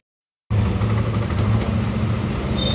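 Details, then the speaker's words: Old Yamaha NMAX after repair of a rough valve/tensioner-like noise, covers refitted and radiator refilled: engine settles into a steady, even low hum with no ticking or rattle; idle clean. "suara mesin sudah kembali halus tentu setelah kita melakukan pergantian pergantian ini"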